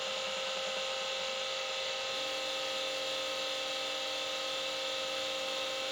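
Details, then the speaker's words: Vintage Seagate ST238R 5.25in RLL hard drive, smashed in the mail but working: steady high whine with seeking chatter and a tone step-up; the spindle motor sounds tired, cause not confirmed. "and uh the motor sounds a little tired on this thing as well but we'll give it some loving and see if maybe we can uh rejuvenate it a little bit maybe in another video"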